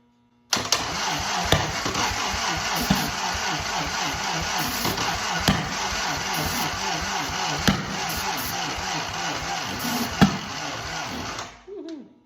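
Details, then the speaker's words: 1943 Willys Go Devil WWII engine, not run in decades, first start attempts. Steady cranking is punctuated by sharp backfire pops about every two seconds, never running. Plug leads 3 and 2 were swapped against the 1-3-4-2 firing order, and the distributor cap was loose. "Backfire, backfire, backfire. My timing's off. Brain hurt. I thought I had it hooked up right, but I screwed something up."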